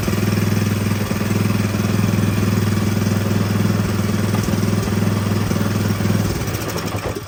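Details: Power Horse small single-cylinder engine, little used but sat for a while, started on choke after fuel supply fix, air breather off: chugs along at a steady low thump, runs evenly several seconds, then shuts off; healthy running.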